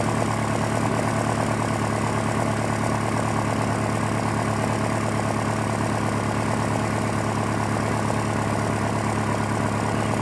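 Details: 2001 Honda Prelude at morning idle, check-engine codes for cylinder 2 and random misfire, black tailpipe, burns 1 qt oil per 1,000 miles: steady idle with faint uneven stumble; owner suspects worn piston rings pending compression test.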